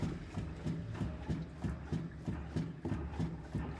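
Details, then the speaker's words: Citroën C3 front suspension, noise over uneven ground: dull fairly regular clunks about 1.5 per second as front end is worked; worn stabilizer bar bushings found. "então gente está encontrando uma irregularidade com essas bochechas né da barra estabilizadora e realmente essas buchas foram substituídas"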